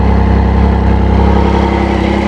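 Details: Triumph Speed Triple that stalls suddenly: uneven lumpy idle, wavering beat, slight stumbles; suspected air leak plus unsynchronised throttle bodies.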